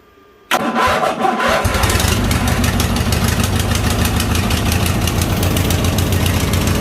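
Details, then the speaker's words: 2000 Craftsman LT1000, Briggs & Stratton 21HP L-head twin, first start on booster box after new fuel line: quick crank catches, settles into steady, slightly uneven idle; it runs but fuel leaks from fuel pump diaphragm; carb and pump to be rebuilt. "Have a fuel leak there coming out of the fuel pump. Yep. It runs though."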